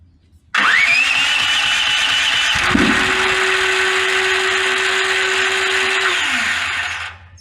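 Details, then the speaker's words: Brand-new Duromax 13000 generator, backfiring from new, electronically controlled choke stepper motor cycling full open, closed and middle: starts, pops, strained hum, sags and dies; backfiring ruins the choke stepper motor; backfiring and struggling run. "it tries it full open it tries it full close then it moves to the middle and it keeps trying and then it finally gives up all the while backfiring all along the way"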